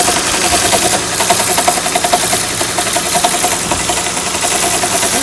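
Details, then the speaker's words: Honda Accord V6 (3.0 or 3.5) at idle with a bad alternator: fast rough ticking rattle with a ringing whir, like a timing belt flapping inside the cover; cured by a new alternator. "So that right there, that's what the Honda with the bad alternator was sounding like, and this is what it sounded like afterwards with a new alternator."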